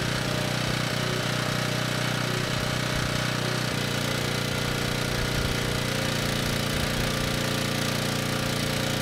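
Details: Ridgid 5700 W generator (RD905712), Yamaha MZ300 engine, 1500 hours, rescued from the dump, cold-day warm-up before load: started first pull, steady even hum, no misses or knocks; runs healthy.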